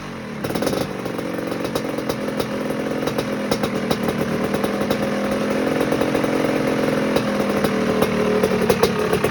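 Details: 1986 Maico GM Star 250 (M-Star) two-stroke, first warm-up after rebuild fixing a head problem: crackly ring-ding settling into a steady run, revs rising gradually, crisp and even with no knock or misfire; healthy.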